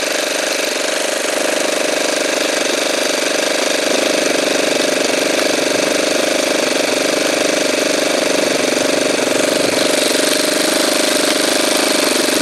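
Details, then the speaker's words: Saito twin glow engine during carburetor trim adjustment: steady high-pitched buzz with a slightly soft, burbling edge at constant throttle; running a touch rich, spitting fuel out of the carburetor. "there is a little bit as you can see it's spitting fuel out of the carburetor"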